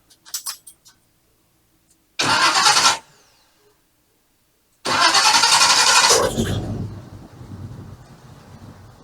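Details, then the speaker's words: 1987 GMC Jimmy just after the starter was refitted: two cranking bursts with a heavy, slowish churn before it catches and runs. Owner is unsure whether it sounds right and suspects it is dragging; the cause is unclear. "Well, it cranks. I don't know if it sounds the best. I don't know. How does that sound to you? Can you hear it? Does it sound like it's dragging?"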